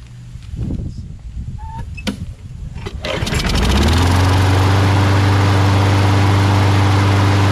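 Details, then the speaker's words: Craftsman mower, Briggs Quantum 6.75: after fixing the choke flap, tightening the loose choke spring and blowing out the carb holes, it catches after a few pulls and settles into a steady, even single-cylinder drone; runs good. "So that runs good."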